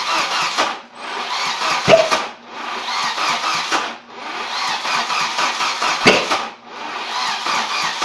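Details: Volvo 740 no-start: starter churns in repeated bursts of one to two seconds with short pauses, engine never catches; cranks but no start.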